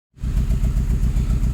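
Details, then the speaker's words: Saab 9-3 Aero with a compression problem, after soaking each cylinder in ATF and steam cleaning by misting water into the intake: low, lumpy idle with an uneven repeating thump; owner believes it is misfiring on cylinder four, with no blow-by at the open oil cap. "try steam cleaning the engine with spraying uh a mist of water into the intake but it's apparently it's a bit i believe it's missing on cylinder number four"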